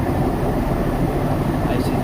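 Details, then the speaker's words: IFB front-load washing machine on full spin: loud continuous rough rumble and coarse rattle from a failed drum bearing; drum spider also looks broken; bearing and drum to be replaced. "तो इसका क्या है कि इसकी bearing ख़राब हुई, इसलिए बहुत ज़्यादा साउंड आप सुन रहे हैं, घर घर बहुत ज़्यादा कर रहे हैं।"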